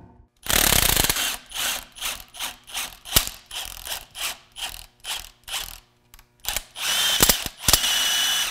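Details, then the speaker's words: Removed 440-volt rewound lathe motor, likely 1150 or 1750 RPM: gritty, rasping bursts with each push of the shaft, the dry scrape of a worn, grinding motor bearing. "now that the motor's out hopefully you can hear this bearing grinding noise a little better"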